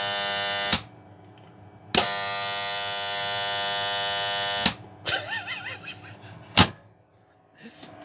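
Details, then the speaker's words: New 12 V contactor, needs cleaning: loud steady high-pitched coil buzz switching on and off in bursts, far noisier than a quiet comparison unit; loud contactor buzz, cause suspected, not confirmed. "they should sound more like this that one's really really quiet compared to this"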